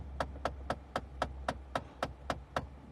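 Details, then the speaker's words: Car AC blend door actuator: quick, even tapping clicks about four a second when the control knob is turned; the motor is damaged internally and spins freely, so its plastic gears click. "Ahora aquí qué ha pasado el motor internamente se ha dañado y como esto lleva unos engranajes de plástico adentro el motor está girando libre cuando nosotros movemos esa perrilla y el plástico empieza a hacer esto por eso el sonido como poseído por el demonio"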